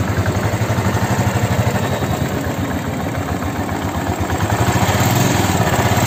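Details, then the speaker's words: Royal Enfield Classic 350 at about 80,000 km, after an engine rebuild with new crank bearings to cure a crank noise: even single-cylinder idle thump with a steady rhythm and no knock or metallic tapping. The crank noise is gone. "பார்த்திங்கன்னா முன்னாடி இருந்த crank noise இல்லை, ஃபுல்லாக நம்ம crank எல்லாமே வேலை பார்த்து போட்டாச்சு, ஒர்க்கும் முடிஞ்சிச்சு."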